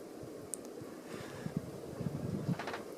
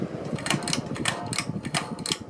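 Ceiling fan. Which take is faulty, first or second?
second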